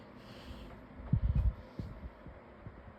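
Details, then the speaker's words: Lasko 18-inch table fan on low with oscillation on: quiet run broken by dull clunks then softer clicks, a catch in the oscillation drive. "a click in the oscillation. That's not That's not That's not terrible. That's not good."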